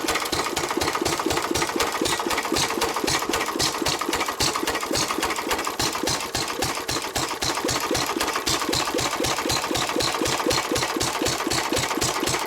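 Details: 1923 3.5 hp Emu (rebadged Hercules) single-cylinder engine, restored in the early 1980s, first start after 20+ years unused: crisp, regular firing about four beats a second with light mechanical clatter, running freely. Normal running.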